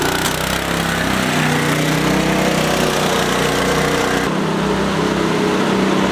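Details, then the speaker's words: Go-kart with torque converter after fitting new belts and a bronze bushing on the drive pulley: steady buzzy small-engine drone held evenly while driving, no slipping, surging or belt chatter; original problem fixed, only a loose chain left. "so aside from the loose chain we fixed the original problem it sounds good oh good sounds good runs good"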